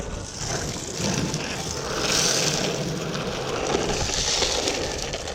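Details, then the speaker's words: Carver C7 trucks on a 30.5" Prisma surfskate after the squeak fix: steady wheel roll and grit noise as the board carves, with no squeak from the trucks. "تمام، الصوت راح خالص، مبقاش فيه صوت الزقزقة."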